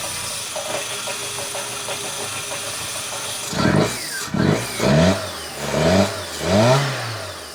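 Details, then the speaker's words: 1999 Fiat Panda 4x4, 1.1 FIRE fuel-injected, turbo kit removed and reverted to standard, 230 psi compression on all four cylinders. Revs surge and collapse in lumps; the owner thinks it is missing cylinders and overfueling, and it stalls. Cause unknown. "It just stalls, and it sounds like it's missing cylinders and overfueling, and it is all over the place,"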